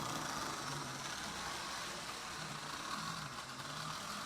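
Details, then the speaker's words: Refurbished 1957 Lionel 027-gauge NW2 switcher with Magnatraction, cleaned motor with surfaced armature commutator and oiled gears, coasting downgrade on almost closed throttle with a heavy train; soft even wheel rumble and faint motor whir, running cleanly. "Love the way those NW2 switchers sound. This is almost closed throttle. Pretty heavy coming down."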